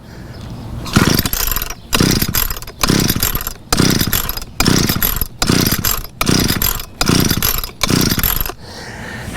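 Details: Weed eater (string trimmer) that won't start: about nine rope pulls, roughly one a second, cranking without catching; clogged exhaust spark arrestor screen causing hard starting.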